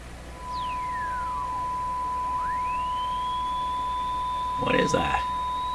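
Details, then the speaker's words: Hallicrafters TW2000 shortwave radio: over a steady tone, a heterodyne whistle slides down, then sweeps back up shrill while tuning a weak station. The owner suspects the 455 IF is self-oscillating and the local oscillator's mixer products are sweeping across it; not confirmed. "but I thought in the past is that this is the if' oscillating on its own and so there's a 455 oscillation going on in the if' and as you tune the local oscillator you bring one of the mixer products rate across the 455 self oscillating by F and you get this effect"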